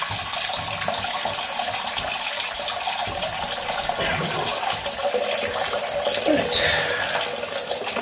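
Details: 10-year-old Ideal Standard toilet after refitting an inlet valve part, which clicks into place: steady hissing rush of water with no hammering or squeal as the cistern refills; fill valve working normally.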